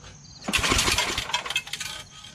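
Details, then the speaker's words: Yard Machines 8 HP Tecumseh snowblower pulled over at full choke and high throttle, not starting, with a suspected clogged carburetor and old gas: tinny crinkling metal rattle from a loose screw. "sounds like there's a screw loose i got a screw loose well now that sound has gone away the rattling screws what it sounded like"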